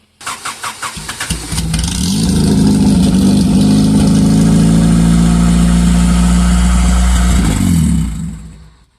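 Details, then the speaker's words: Honda Civic EXO build, not started in a long time, distributor known bad and new plugs needed: cranks, catches and revs briefly, then dies, and sounds bad turning over; owner suspects it is suddenly losing fuel. "well she's being weird I ain't started in Forever she wants to start and then cut off"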